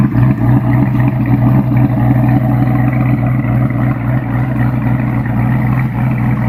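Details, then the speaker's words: New Edge Mustang GT V8 with Comp Cams Stage 2 cam and springs, correct custom tune, stock manifolds, 2.5" catted H-pipe, Bassani after-cat exhaust: deep, choppy, uneven loping idle about four pulses a second, steady and strong; healthy. "If you remember a week or so back I put out a video for just the idle sound from my cam and spring upgrade."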